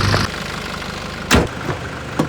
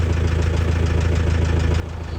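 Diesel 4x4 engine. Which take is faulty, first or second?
second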